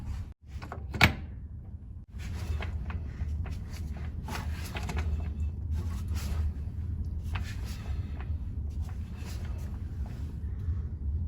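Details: Car that can't exceed 10 mph (drive wheels lock up and can stall the engine), in neutral, passenger front tire hand-spun backwards: low uneven churning with clunks and rattles, like ball bearings or broken parts tumbling inside the transaxle.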